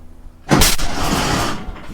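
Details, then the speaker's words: Walker mower with a Kohler 18 twin that runs on only one cylinder, started on choke with a brand-new plug; one sharp bang on the start attempt, then a short rough rumble. Backfire from unburnt fuel in the muffler area. "oh that means there was fuel in the muffler or somewhere around that area"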